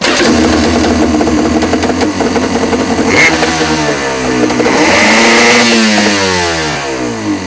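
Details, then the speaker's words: 1995 Yamaha WaveRunner Wave Raider after the bad starter solenoid/relay was replaced and connections checked. It catches on the first press of the starter, revs up, then settles into a clean, steady run with no misfires. Normal start and run. "Okay, what we're going to do now is we're going to go ahead and try to start it. Alright, hit the starter one time."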